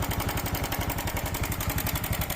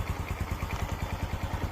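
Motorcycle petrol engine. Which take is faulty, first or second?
first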